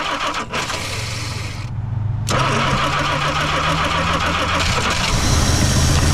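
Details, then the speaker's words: 1963 Plymouth Belvedere sitting since 1978, fuel pumped up to the filter: cranks unevenly, goes quiet, then catches into a lumpy idle with some backfire after way too much fuel; flooded, then runs. "We might have to help it out a little bit. Way too much fuel."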